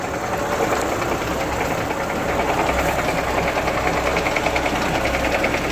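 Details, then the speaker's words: Lada Niva on a lift, idling: a light, fairly even knock of about three per second starts when the clutch is released in gear and stops in neutral; it seems to come from the gearbox, exact source unclear. "Так вот все работает нормально, сцепление отпускаешь. Вот пошел шум какой-то."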